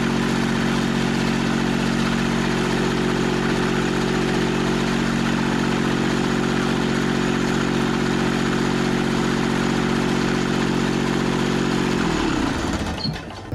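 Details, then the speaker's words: Scrapyard Kubota three-cylinder diesel from a Carrier AC unit, run after sitting with the cap removed: steady, even three-cylinder beat with no misses or knocks until shutdown near twelve seconds; firing on all three cylinders. "nice straps in the way but she lit up on all three cylinders perfect"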